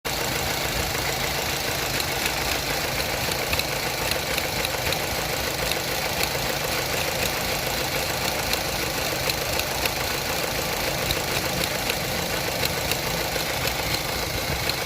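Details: Opel Astra H petrol engine at idle: fast, uneven light clicking, three to four ticks a second, over the hum; suspected throttle body clicking, not confirmed.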